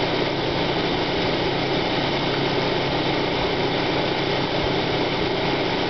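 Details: 1995 Plymouth Neon Sport DOHC petrol engine idling after initial start-up: steady gritty grinding rasp that fades once warm; timing belt walks on idler pulley, owner suspects idler bearing or water pump, unconfirmed.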